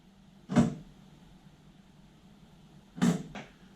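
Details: OEM bi-xenon headlight for a 2007 BMW X5 E70 halogen-to-xenon swap: a sharp single clack, then a quick double clack as main beam lifts the shutter out of the way; normal bi-xenon shutter operation.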